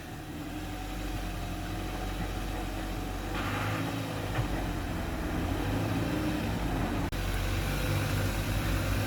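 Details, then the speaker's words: Ford Focus Ghia with Sigma four-cylinder petrol engine, bonnet open, after repair work: low steady even idle hum, no ticking, puffing or exhaust blow; healthy quiet idle. "Sounds really quiet to me. That's how a Sigma should sound. No blows, no nothing."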